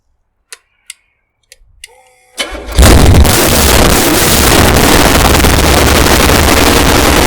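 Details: 454 Big Block Chevy stroked to 496 for a 1968 Chevelle, test run: a few clicks, short crank, catches and settles into a loud, even, lumpy rumble at a quarter to a third throttle; normal start and revving.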